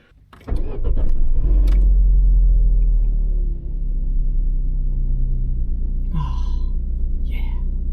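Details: Opel Corsa B after replacing the rusty exhaust pipe between catalytic converter and back box: catches quickly, flares to a loud even rumble, then settles to a steady smooth idle with no rattles or blowing; normal start.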